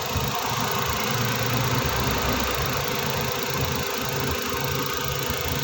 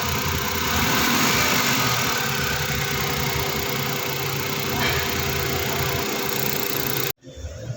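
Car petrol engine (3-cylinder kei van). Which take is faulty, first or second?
second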